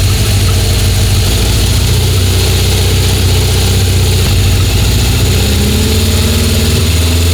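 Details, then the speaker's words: 1976 Honda CB750F1 SOHC four with electronic ignition, during carburettor balancing: fast, steady idle that won't settle. Idle stays too high and can't be set on the idle screw; owner suspects a carb fault and strips the carbs again. "No. Something's wrong in that carb. I can't, every time I dial it back in, it just raises the rev so high."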